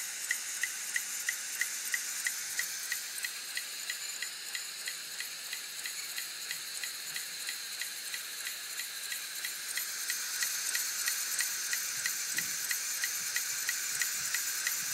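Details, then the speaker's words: Hitachi Deskstar 7K250 hard drive with a head crash, powered up with lid open: sharp, regular ticking about three per second over a soft spinning hiss as the firmware repeatedly fails to park the heads; they won't go in manually either. "There's the ticking noise again. Looks like the firmware is trying to park the heads to protect the platters but it fails to do so."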